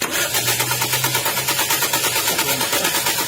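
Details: Flood-submerged Toyota Vios, unstarted since December, cranks steadily about two turns a second but never catches after fuel pump replacement; problem traced further to ECU/ignition.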